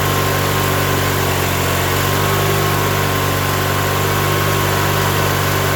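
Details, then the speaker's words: Coleman Powermate 7000 (PM45 7022) commercial generator, 18 HP twin-cylinder L-head, 3600 rpm, 120/240 V, 7000 W; used non-running unit after carb cleaning and fuel filter, primed with gas down carb, on choke: steady, even drone, no misses or knocks; normal running. "All right, I don't think we're primed up yet, but it's good to hear it running. We'll give it a little more gas. Give it some choke."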